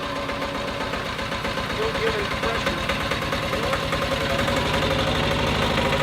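Steady, fast, even engine beat of about four pulses a second under light load, no knocks or rattles; the compressor unit runs healthy.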